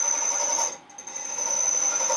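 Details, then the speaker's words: Cadillac 429 cast-iron head, valve job: loud, steady high-pitched screech with a shrill tone that dips briefly as a very hard valve seat is cut; not chatter. "wow you can really hear that chatter it's not chattering it's super hard I know it's defening"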